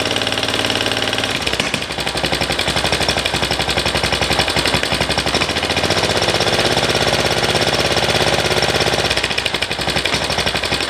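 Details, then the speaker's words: MTD ride-on mower single-cylinder engine after carburetor reassembly to cure surging: starts and putters steadily, then settles slightly faster once the idle is raised, running evenly without hunting; surging fixed. "Bring the idle up a little bit. There we go, a bit better. So I'll let that run"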